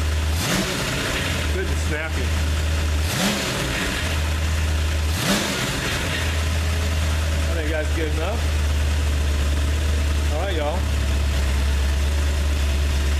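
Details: Freshly rebuilt 302 V8 after oil change, first fire-up: deep, even idle with a few quick throttle blips, no rattling, knocking or smoking; engine running healthy.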